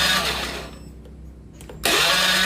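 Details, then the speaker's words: Honda Beat FI scooter that died, cranking with the ignition on: the starter whirs in two short bursts, but it never fires. No spark at the coil and no injector spray, so the ECU was judged faulty. Crank, no start, no spark. "Nah, sama juga ya teman-teman, injektor pun tidak menyemburkan minyak dan koil pun tidak mengeluarkan api."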